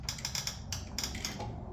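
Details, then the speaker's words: Craftsman LT2000 mower after swap to a 20 hp Kohler with aftermarket carburetor and fuel pump, key on, in park, engine off: quick bursts of light clicks from the carburetor fuel shut-off solenoid cycling; normal operation. "That's that shut-off solenoid on the carburetor. It's cycling, so that's doing what it's supposed to do."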